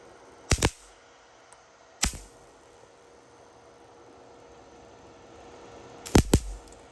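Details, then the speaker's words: CO2 laser high-voltage cable wrapped in over 10 layers of electrical tape, about 1 inch from the ground wire, fired with the power supply's test button: sharp isolated cracks and snaps; high voltage arcs through the tape insulation. "So, so 10 layers, over 10 layers electrical tape still cannot protect you from the high voltage arcing."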